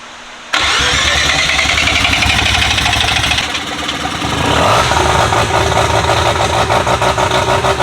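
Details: Bridgeport rotary engine, naturally hard to start, idling to reach operating temperature: fires after short crank, settles into choppy, lumpy rotary idle with some blips; normal bridgeport rotary idle.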